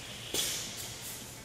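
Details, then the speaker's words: Hunter 6-inch Pro-Spray sprinkler spray body during a 100 PSI water-and-air surge test: a sudden sharp screech as water rushes through, then a fading hiss; the body survived 20 cycles with no burst or leak. "can hear the screeching water as it's pushed through the body so quickly."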